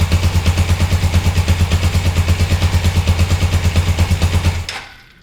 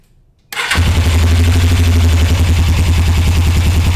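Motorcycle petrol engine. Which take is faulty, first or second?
first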